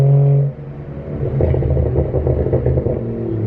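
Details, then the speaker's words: BMW 335i with new coil packs, driving on stock (OEM) burble: revs drop off throttle and the exhaust gives soft, irregular pops, gurgles and bubbles. Owner suspects the earlier problem was an MHD map with harsh burbles. Normal overrun burble. "if anyone's curious what oem verbal sound like is what they kind of sound like you're still here i'm just a little girly it's more gurgles and bubbles"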